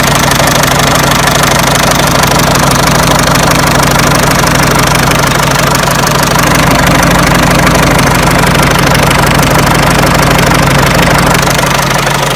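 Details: Peugeot 307 1.6 90 hp engine at idle: loud even idle with quick regular knock about three per second, steady; owner asks where the engine knock comes from, source unknown.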